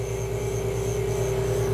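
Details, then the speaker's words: Valve refacing grinder about one thou into the cut, using the whole stone between bump stops to correct a distorted valve face: steady mid-pitched hum with gentle even pulse; smooth, normal grind. "so as I continue we're into one th of cut now I'm going to use the whole stone and you can see the surface of the valve correcting itself as we move through the process"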